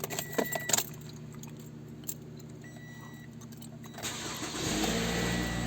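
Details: 2010–2014 Toyota RAV4 started after water pump replacement and coolant refill (50-50 Toyota coolant) before bleeding. Keys rattle, engine cranks and catches about four seconds in, settling into an even run with no knocks or squeals. Normal start.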